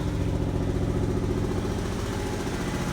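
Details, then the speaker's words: Toyota 4Runner after a full donor engine, transmission and harness swap, at idle: a steady low idle with a regular puffing beat about twice a second under the exhaust note. The owner is pretty sure it's an exhaust leak. "an exhaust leak. Pretty sure."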